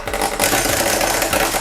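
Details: Magnetic contactor (CT Electric) with supply voltage lowered to about 170 V: rapid, harsh mechanical chattering and raspy buzz; contactor chatters and vibrates because coil voltage has dropped too low.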